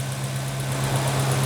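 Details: 2007 VW Gol G4 1.0 8v flex, after changing from 5W40 synthetic to thicker 10W40 semi-synthetic oil: smooth low idle, lower-engine cylinder/piston-pin clearance knock gone, only faint light ticking remains.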